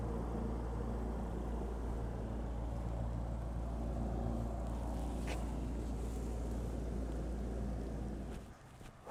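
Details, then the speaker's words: Cessna 401 engine unstarted for over 15 years, fuel system cleaned and injectors reinstalled, battery hooked up: a steady starter churn at about 3.5 beats a second that never fires, then drops off. It cranks but won't start. "Son of a gun. I feel like it should be spinning over more."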